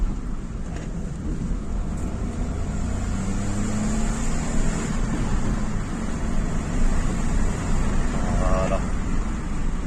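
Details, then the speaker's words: Renault Clio 4 1.2 TCe after repair of a timing-chain clatter with power loss and doubled consumption, warmed up, driving under load: steady engine drone with road noise, no clacking; the engine now runs healthy. "ça n'a plus rien à voir hein ça plus rien à voir vous entendez le bruit plus de claque"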